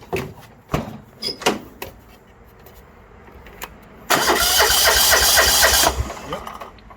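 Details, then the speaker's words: 1980s John Deere 180 tractor with the fuel line off, checking for fuel delivery from the pump. A few clicks, then nearly two seconds of fast, even starter cranking that never catches; the carburetor has not yet been serviced. "so i'm gonna sit in here and see if i can crank it and we'll see if the fuel if there's a fuel shooting out of"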